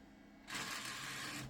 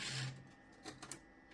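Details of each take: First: DVD drive in a 1998 Gateway G6-400XL (400 MHz Pentium II) running Windows 98: about a second of harsh, hissy buzzing as it spins up, then cuts out; fails to read despite repeated exercising, likely needs replacing. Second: Optical drive in a 1998 Gateway G6-400XL (400 MHz Pentium II) ejecting the Windows 98 install CD: short bursts of motor whirr and plastic clatter as the tray drives out; loud mechanism, but it ejects normally.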